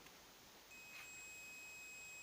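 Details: Transformer that hums and heats, primary winding tested with meter for spot welder build: steady high continuity beep holds while probing, suggesting a short circuit in the primary winding; suspected, not confirmed; continuity beep on winding test.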